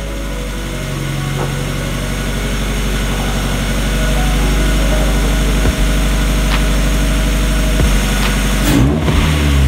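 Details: Mazda Miata after fitting a custom cold air intake with Vibrant filter, exhaust loud: steady even idle and gentle rise in revs, no misses or knocks; healthy, no check engine light.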